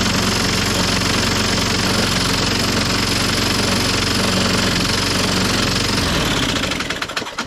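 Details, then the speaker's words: 1998 Ariens 21" self-propelled mower, model 911080, engine VLV60: starts first pull with old coil, then runs harsh and clattery with uneven beat before winding down; rough running, cause unknown, self-propel drive disc later found stripped of rubber. "now it's making some terrible noise in there but uh yeah it starts easily on the first pull now and that's with the old coil on"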